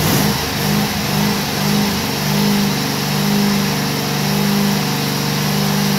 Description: Briggs & Stratton Vanguard 16hp falujące wysokie obroty